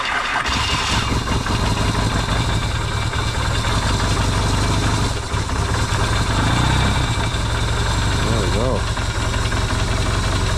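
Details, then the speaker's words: Yamaha XS650 twin refitted to the bike frame, first start after work to cure oil burning: it catches straight away and settles into a low, steady, even idle with no knocks or misses, though smoking, hoped to be break-in. "and it's idling right off the B that's pretty cool nice and quiet not a lot of pings and bangs"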